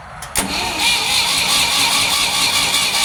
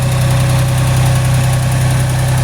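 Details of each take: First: Ford 3000 tractor three-cylinder after solenoid replacement and battery disconnect switch install, fuel possibly not turned on: several seconds of cranking before catching, then an uneven, lumpy idle, apparently on two cylinders; hard starting. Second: Ford 3000 three-cylinder tractor after solenoid replacement, after about 5 minutes running when the third cylinder kicks in: steady, even low thrum at idle, all three cylinders firing; normal idle.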